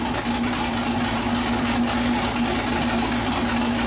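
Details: Freshly built 408 cubic-inch LS stroker V8 starting right up, loud, deep, even idle with steady hum and no knocks or misses; deafening, runs strong and clean; first oil change showed no metal shavings; normal idle.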